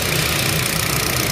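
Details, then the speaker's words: Hyundai Stargazer after repair of rat-chewed wiring that caused rough, limping running; smooth idle with fast, loud but regular injector ticking, as this four-cylinder has eight injectors; normal. "Halo suara mesinnya halus suara injektornya keras ya karena injektornya ada 8 4 silinder tapi 8 injektor jadi sangat-sangat keras suaranya"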